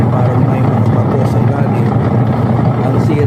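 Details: Noisy washing machine: heavy rough grinding rumble with gravelly rattle from damaged plastic gears in the transmission/gearbox set, blamed on overloading; whole set needs replacing.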